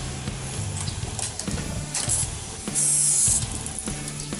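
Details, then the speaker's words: KTM Duke 200 that sat almost a year: key switched on, steady low pump hum under a strong rushing hiss of fuel spraying from the disconnected hose, no stutter or surging; healthy pump with strong flow. "So, goods kasi yung fuel pump nito. Diyan nyo malalaman na malakas yung tawag nito, yung fuel pump nyo."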